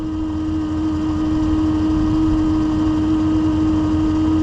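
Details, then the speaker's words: 2015 Chevrolet Suburban, dead battery not charging, just after jump start, engine cold under 100 degrees: steady mid-pitched alternator whine over smooth idle; alternator running hot at 150 degrees, suspected working hard, replaced later. "I don't know if you can hear that, but the alternator has a little bit of a whine to it right now."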